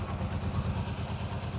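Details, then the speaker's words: 1981 Pontiac LeMans G-body wagon with swapped Pontiac 400 V8, sat many years, first run; low lumpy loping idle with irregular surges, smoking, blowby, sounds like massive vacuum leak, couple of dead cylinders suspected; rough idle. "this thing is smoking sounds like it's got a massive vacuum leak"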